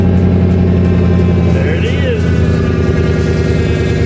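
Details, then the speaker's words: Turbo Thunderbird, first start after sitting a month, loud steady droning whine at idle that doesn't change with speed; car lost all drive gears (went to neutral) on the interstate; owner suspects failed torque converter or transmission front pump. "would you listen at that terrible noise"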